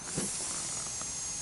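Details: Abandoned 1985 Honda ATC125M three-wheeler, tires old, one possibly a replacement, engine not running. Steady, airy hiss holding even throughout: air escaping from the tire, suspected tire air leak.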